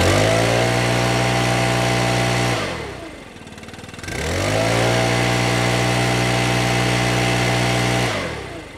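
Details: Stihl BR600 backpack leaf blower after adjusting the hidden throttle trigger set screw to reduce trigger slop: steady high pitch, drops to idle, then climbs cleanly back to full speed; throttle engages sooner, full power restored.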